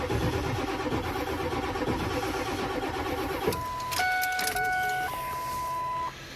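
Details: Old diesel truck in snow, cold after not starting for 3 days, cranks slowly and laboriously for several seconds and never fires, then stops. Cold slow cranking, no start.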